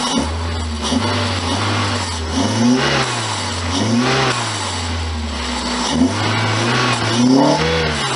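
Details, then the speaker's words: 1999 Toyota Celica ZZT231 revved in several clean blips just after fitting a new pod filter (fixing the cold air intake); airy intake rush through the filter, engine revs freely and sounds healthy, normal revving. "pretty cool sounds like the engine lights this filter so that's all good then"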